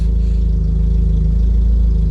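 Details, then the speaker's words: Engine with a previous rough idle caused by injector number 2 not firing, heard after work at the ECU side: a steady, smooth idle with no misses. "You can already hear how the idle is sounding much better, right?"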